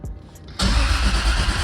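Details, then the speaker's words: Toyota Supra big-turbo build, temporary wiring, before tuner sets up injectors. Starter spins the engine at a steady even rate with no firing; cranking healthy, not expected to start yet. "so now I can go ahead and crank it obviously it won't start because the tuner needs to set up set up the injectors and everything else"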